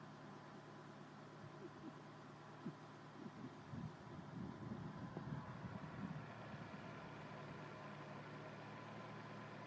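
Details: 2000 Nissan Altima idling smoothly with a steady, even hum after a No. 1 cylinder misfire fix: corroded ECM board stopped injector 1 pulsing, so it was spliced to injector 2's wiring. Previously rough and shaking.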